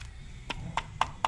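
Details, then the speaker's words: Onebot S6 folding e-bike's small 42 V 1.5 A charger shaken: light sharp clicks about four a second, something loose rattling inside the case; reviewer suspects the capacitors aren't glued down. "I don't even think they glued the capacitors down it just rattles going on"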